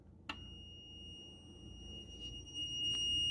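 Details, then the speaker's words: Clean, steady high continuity beep after temporarily connecting the green ground wire on a 1985 Pinstar Gamatron pinball machine's power supply wiring; continuity test shows the ground path is restored. "Okay, I just connected the green wire there temporarily just to test theories. I'm in continuity test and check it out."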